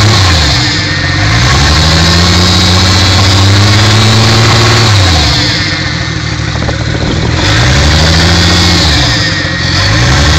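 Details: Mk3 Toyota Supra at almost 100k, idling and blipped twice: steady regular knocking riding along with the revs; owner says rod knock.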